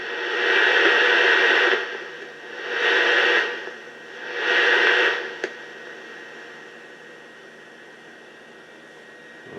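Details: 1950 Philco T1401 television after full electrical restoration, powered on once the tubes warm up: three long swells of rushing hiss, then a low steady hiss with no voice or tone; picks up only static noise, no reception despite all repairs.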